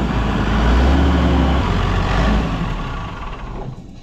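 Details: Massey Ferguson 6480 tractor diesel, running after two years sitting idle; deep steady rumble with even beat settling and fading out smoothly, no knocks.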